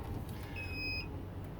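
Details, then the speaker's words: Class A motorhome idling during a turn, all leveling jacks up but one reads not stowed after a failed jack repair and the jack unplugged: steady repeating high-pitched electronic warning beep over the engine; jack not-stowed alarm. "found out that my jack repair didn't work, and now you can hear that alarm. I don't know how I'm gonna get that alarm to turn off because I've unplugged the jack now."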